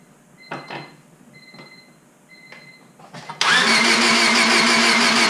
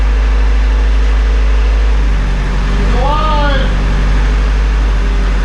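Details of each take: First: Rebuilt Honda Civic Si at first start after installing the valve cover and distributor. Light clicks, then steady cranking with no firing; no spark, with the igniter reading about 0.2 V. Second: Honda Civic Si after rebuild, new ignition coil fitted, no coolant yet: low steady idle rumble with even beat, no misfire; started instantly, ran a little rough at first then smoothed out.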